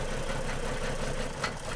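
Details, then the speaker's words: Ford BA Falcon XR6, about 390,167 km, sat in a paddock for 8 years: lumpy, uneven stumbling idle; coil-disconnect test shows cylinders three and six making no difference, misfire. "number three's got an issue numbers broads okay ish number six doesn't seem to be making any difference at all the number three and number six are the faults"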